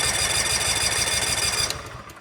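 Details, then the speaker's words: Cub Cadet RZT SX EFI zero-turn mower at about 200 hours with an intermittent crank-no-start: steady, rapid starter churning with no firing, then it stops; no spark from a failed relay. "And sometimes it'll start and it'll work perfectly, and then sometimes you'll hit the key and nothing. In terms of after it cranks, it'll just, no spark."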